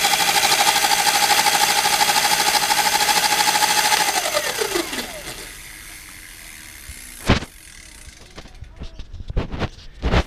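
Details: Single-speed electric bike kit conversion after repositioning the single-speed tensioner to stop the chain skipping on the 20-tooth sprocket: steady high motor whine holds, then drops smoothly as the throttle is released and the motor spins down, with no chain clacking.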